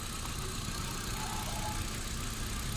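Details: Hyundai Accent at idle: low rumble with a slightly uneven, lumpy beat instead of a clean steady hum; misfire at idle.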